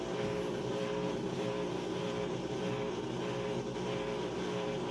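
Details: Crosley washing machine after heavy, warm, max full load wash, draining as it starts to spin: steady even hum with pump draining and drum spinning up, no knocks or grinding; working normally.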